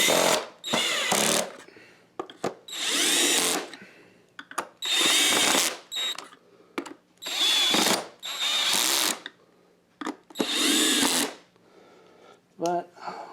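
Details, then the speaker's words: Oreck vacuum after overhaul with new used brushes still seating: motor whines up in short repeated bursts about a second each, pitch steady and clean; normal motor run. "you guys hear how it runs the new used brushes they're still seating in which is to be expected nothing out of in the realm of what's supposed to happen"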